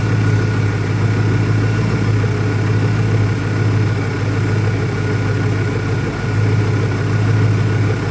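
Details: 2001 Ford Mustang Cobra V8 after new Bosch spark plugs; low, deep idle wavering and stumbling unevenly instead of a smooth beat; rough idle, owner doubts a vacuum leak, source not evident.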